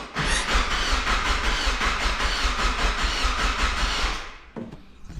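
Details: NB Miata cranked on the starter without starting, on the factory positive cable before the upgraded power wire: uneven, loping cranking for about four seconds; the slight gallop is normal, and the engine runs fine.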